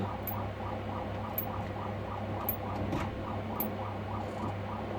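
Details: Hantarex Polo 25-inch arcade monitor, after blue-tinged graphics and sudden shutdown, at power-on: sharp clicks about once a second over mains hum with faint rapid ticking, no neck glow; owner considers a capacitor kit, cause unconfirmed.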